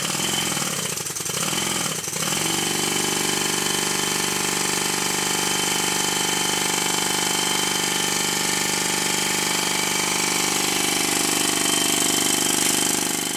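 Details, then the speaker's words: Rebuilt Stuart 10V steam engine on compressed air, tight spot at bottom of stroke: rapid rattling machine-gun knock about three times a second; one crankshaft main bearing sits higher than the other, fixed by shimming. "listen to how the engine runs it sounds like a machine gun and it's not supposed to sound like that"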